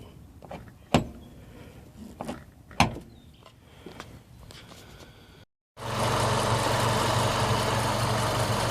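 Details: Mitsubishi Lancer with Megan Racing coilovers: sharp isolated pops and clunks from the suspension over bumps, caused by a loose coilover bottom nut; fix is torquing it tight.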